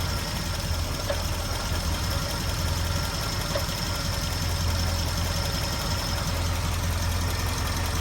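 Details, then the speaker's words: 1980 Triumph Spitfire 1500 at low idle below about 900 rpm, fine at 1000 rpm and above; faint loose metallic rattle over the engine note. Ignition, water pump, alternator and loose pulley ruled out; source not found. "pressure at 1,000 RPM it sounds fine normal and at higher RPMs also But at low RPM below about 900. [Music] It's not ignition. It's not the water pump. It's not the alternator. It's not a loose pulley."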